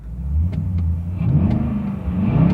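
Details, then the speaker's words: 17-year-old BMW V8 with a 6-speed transmission, started in neutral; a deep, even V8 rumble settles to a steady idle with a light blip and no knocks or ticks, sounding healthy. "We'll stick it in, put it in neutral and start it up. And it does sound great."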